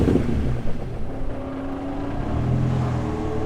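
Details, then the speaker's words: Hot engine on its first track day after a burning smell: a low, rough idle rumble with a dull knock underneath and slightly low oil pressure; engine declared blown, likely a spun rod bearing; no crank pulley wobble noted at first start. "Oh yeah, that's knocking. Come look at your oil pressure, and then I'm gonna turn it off."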